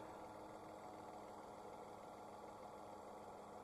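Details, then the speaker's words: Dacia/Renault 0.9 Turbo petrol, 155,000 km, idling after NGK Laser Iridium spark plug replacement for hard cold-morning cranking: quiet steady idle, even hum, no stumble, miss or knock; runs smoothly. "everything runs smoothly. I just need to put another zip tie here."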